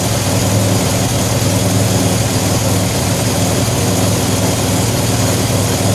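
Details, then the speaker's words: 2007 Pontiac Grand Prix with ZZP XPZ cam, recently retimed after timing chain correction, warming toward operating temperature: deep steady cammed idle, slightly choppy with no knocks or misses; exhaust escaping at flange lacking a gasket; fuel pressure 50 psi. "Hear what she sounds like in the back. Sounds like most of it's escaping here. Still haven't put a gasket in the flange yet. She's running great."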